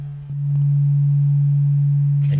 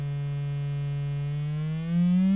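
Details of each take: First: Adcom GFA-555 amplifier fed a 1,500 Hz signal-generator tone, microphone at the right channel: pure clean tone, no buzz or harshness; the left channel, by contrast, was distorted from having virtually no bias. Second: Adcom GFA-555 amplifier, left channel fed 1500 Hz then a lower test tone: harsh, almost square-wave distortion with audible crossover clicking; virtually no output bias, running class C instead of class AB.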